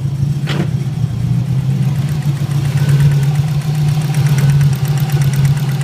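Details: Subaru STI idle with a light, quick top-end tapping over the engine note, started one night after setting up antilag; doesn't sound like rod knock, owner suspects valve train, cause unconfirmed.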